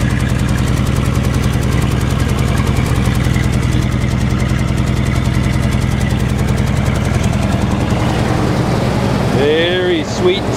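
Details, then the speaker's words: 1948 Chevy 1-ton truck, 216 inline-six, at idle, heard at the exhaust pipe: steady, even low pulse, no misses, knocks or ticks; runs really nice and smooth, healthy motor. "Listen to that purr. Great sounding motor."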